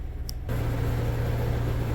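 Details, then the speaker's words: Scion after clutch replacement, idling in neutral: a rough rumble and hiss starts when the clutch pedal is released and stops when pressed. Input shaft bearing noise, much worse in gear under load. "okay so what is that that is the input shaft bearing that's making that noise and when it's actually in gear and there's a load on it it's 10 times worse"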